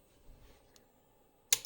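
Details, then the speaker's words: Beamex BIC 10 instrument calibrator with a power supply fault, powered on: in a quiet room a sudden sharp snap with a short fizzing crackle as a tantalum capacitor fails and melts. "it's definitely not supposed to say like that right it was like uh this clicky clickity SMY smacky and then in a second we're going to blow up kind of kind of sound"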